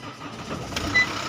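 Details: 2012 Mahindra XUV500 diesel after rat-chewed wiring was repaired and the ECM was unlocked with a scan tool, started in neutral: short cranking burst, then it catches quickly into an even diesel run with no stumbling; clean start.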